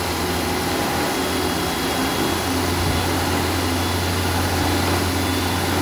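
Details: 1975 Vauxhall Viva barn find with newly fitted Weber carburettor and Edelbrock intake: steady, fast, even drone never settling to slow idle; high idle, owner about to power the unfed carb idle cut-off solenoid with 12 V.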